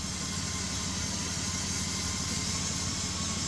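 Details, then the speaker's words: 2008 Dodge Grand Caravan after connector cleaning and repair for rough idle, misfire and multiple codes: steady, even idle with a smooth low rumble and some background hiss, no stumbles; idle now holds, no more misfire. "pienso que el map sensor no sirve ya se mantiene el Iron Ahí está listo ya ya no falla nada más"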